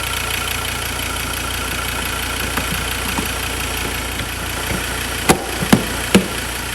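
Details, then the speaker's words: Ford Ranger 3.2 diesel after injector cleaning with Liqui-Moly Diesel Purge: a smooth, even idle with a steady clatter and no stumbling, then a few sharp handling clicks. "engine's running really nicely there's obviously no hesitation it's running nice and smooth"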